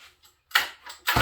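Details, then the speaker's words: Sachs Dolmar 153 100cc chainsaw after shocking the carburetor: two short ragged bursts of firing, each dying within a fraction of a second; it catches briefly then stalls. Carburetor adjustment suspected, cause unconfirmed. "okay i put a different spark plug in here haha it fired um i don't know what's going on here let's check the adjustments on this carburetor it seemed to have run out of fuel there"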